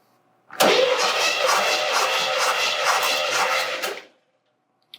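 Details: Chevelle 350 small block compression test, cranking with gauge on; even rhythmic cranking about 2.5 pulses a second for three seconds; reads 150 psi, consistent; engine has oiling and rich-running issues, leak-down test planned.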